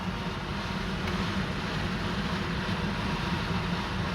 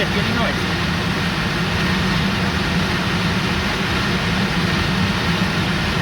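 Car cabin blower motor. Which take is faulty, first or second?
first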